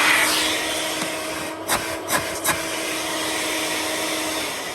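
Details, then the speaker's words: Electrolux Twinstream wet and dry vacuum cleaner, unboxed, running normally: steady high airy roar with even motor hum, no rattles or surging; average suction, judged less than a Henry. "But yeah, that's working."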